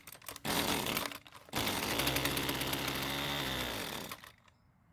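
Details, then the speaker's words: Husqvarna string trimmer that would not start, hand-primed with fuel: fires and buzzes raggedly about three seconds on the primed fuel, then winds down and dies; fuel filter found off the line in the tank, carb inlet screen suspected clogged. "so fortunately the engine started and ran for a few seconds on the fuel I put into it which I already knew it would"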